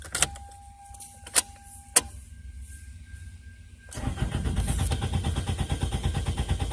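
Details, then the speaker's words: 2002 Toyota Corolla LE: a few key clicks, then the starter cranks the engine at a steady, even rhythm but it never fires; crank, no start, fuel pump failure suspected. "I wonder if the fuel pump quit working. I don't know where to spray starting fluid"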